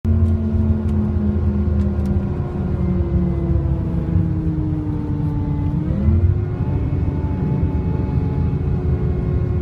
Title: SCANIA K380IB bus hydraulic fan strange noise！